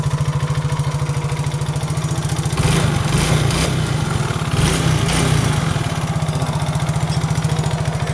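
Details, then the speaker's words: Yamaha Mio J fuel-injected scooter with low compression from a faulty valve, oil added through the intake: lumpy, uneven single-cylinder idle with irregular pulses, smoke, and a short throttle blip; rough running, owner suspects lack of engine oil. "Nah, di sini tadi kita dengar sama-sama bahwa mesin ini suaranya kasar, berarti mesin ini olinya tidak ada guys."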